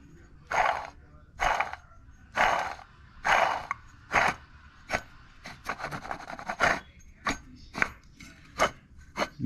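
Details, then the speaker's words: Old water pump from a supercharged GM 3.8L (3800) Buick Regal GS, spun by hand off the engine: rough scratchy rasp in bursts about once a second, bearing has play and is worn; blamed for a loud squeak, new pump is silent. "I can feel the the play in this bearing, so it's not good. Let me set this up real quick so I can show y'all what it sounds like."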